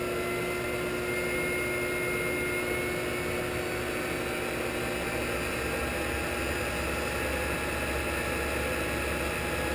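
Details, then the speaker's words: Shopsmith 10ER with Leeson 3/4 HP 2500 rpm DC motor, KBMD240D controller, trued pulleys, low range at about 1,000 rpm: low, even hum with a steady whine, no knocks or wobble; quiet, smooth normal run. "go 1,000 nice quiet and smooth"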